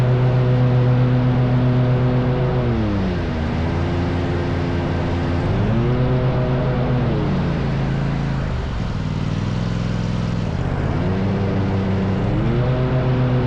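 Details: Rescued zero-turn mower running after repair, with the pulleys checked and the carrier refitted. Even engine drone dips and recovers smoothly as revs change, steady firing with no knocks or rattles; this is the sound it's supposed to make.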